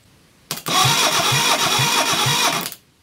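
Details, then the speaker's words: Reliant Fox engine, unrun for years, cranked for a compression test with the throttle wide open. Uneven cranking beats, one stroke lighter each cycle: no compression on cylinder 4 (others about 160), and the valve clearance is so tight the feeler gauge won't go in. "compression as we've got no compression on cylinder 4 we'll start by rechecking the valve clearances okay we've got one valve one down so our rule of nine means I should check eight and I can't even get the feeder gauge in so that's not good"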